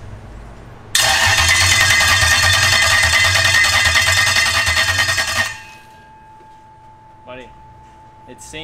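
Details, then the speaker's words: Toyota 3UZ V8 swapped into Nissan S14 on EMU Black standalone with custom harness and basemap, drive-by-wire and crank/cam sensors working: starter spins steadily about four seconds but never fires; owner suspects it needs fuel; cranks but no start. "if it has fuel it's gonna start right now like it just needs little little spritz"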